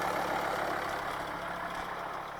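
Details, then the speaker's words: 2006 Volvo V50 D5 2.4 litre 5-cylinder diesel, cold start at 5 degrees: faint light tick over steady idle clatter, owner suspects lifter issue or stuck injector, possible exhaust leak; ticking at idle, cause unconfirmed. "I don't know if you can hear that ticking noise. So we got some lifter issues maybe,"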